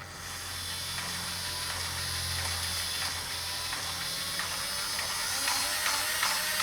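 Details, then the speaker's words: Hornby model railway turntable gear drive after old, sticky red lubricant was cleaned off and the gears oiled: a light, even whirr with fine, steady gear-tooth ticking and no binding. It runs much smoother, with no gear teeth missing. "look how much smoother that is"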